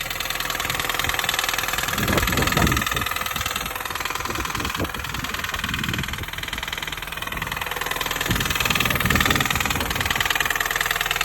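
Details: Mini Cooper S R53 (2005) engine at steady idle: sharp, regular clapping knock about four times a second over the engine hum; source of the knock not yet traced.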